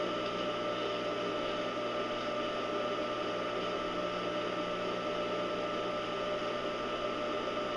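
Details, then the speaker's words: Steady, even motor hum with soft whirring hiss, no knocking or grinding, from a scrapyard electric motor in a home-built cyclone dust blower after regreasing bearings; quieting as bearings warm and grease mixes, running healthy. "you can hear it quieting down as we speak um I believe I'll hold off on the two horsse motor I'm not sure it needs it now that this thing is happy and healthy"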